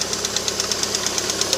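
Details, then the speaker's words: 2008 Lada Priora after sitting five days, cold start at minus 15: crisp, even tapping about eight times a second at warm-up idle; hydraulic lifters tick until the engine reaches 90 degrees, then the noise stops. "рогрева двигателя, то есть до 90 градусов они постукивают, далее пропадает."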